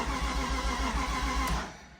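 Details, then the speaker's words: Flood-submerged 2006 BMW E46 M3, first start attempt after replacing the oil pan and a seized starter: steady cranking at about four pulses per second with a couple of brief catches, then it dies. It fires but won't keep running. "Woo! She kicked a couple times. Let's uh let's try that again."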